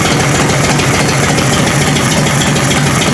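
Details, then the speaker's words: Harley FLT Electra Glide Evo V-twin with new pistons and rings, early 40 mm Mikuni flat-slide carb, idling in neutral after choke start: light quick ticking from the carb side over steady idle is the flat slide moving back and forth, normal. "if you've got a McKinney and you hear a bit of a ticker noise from this side of the engine that's your flat slide going backwards and forwards"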